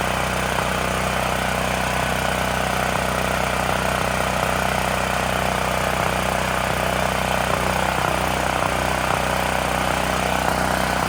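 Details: Extreme Contractor Series 6,500 W (8,500 W surge) gas generator bought almost 20 years ago, revived after long storage; after tightening a bolt that cut vibration, it runs with an even, steady drone at constant speed, no misses or hunting. Normal running.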